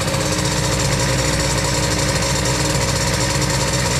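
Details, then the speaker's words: Brand-new 2Fast 70 cylinder with Boost crankcases on moped, breaking in, warmed, kart airbox, revving: crisp two-stroke buzz steady and even, engine barely vibrating; well balanced, normal revving. "Ah, j'adore le bruit que ça fait. À Saint-Andiol, on m'a dit ah, ça fait le bruit d'un karting. Bah c'est normal les copains, c'est une boîte à air de karting."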